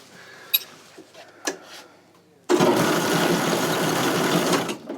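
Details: Cool Machines CM2400 insulation blower after its airlock seals were changed and the drive chain retensioned: clicks and handling, then a steady, even mechanical whirr with no knocking or grinding; the airlock runs smoothly.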